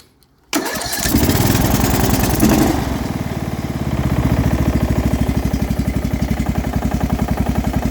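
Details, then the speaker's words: Quick-build engine, muffler fitted: after start, lumpy idle with steady low-end rattle pulsing three to four times a second, not sounding like a knock; source unclear. "i hear a bit of a rattle there [Music] is a bit of a low end rattle but it doesn't necessarily sound like a knock so"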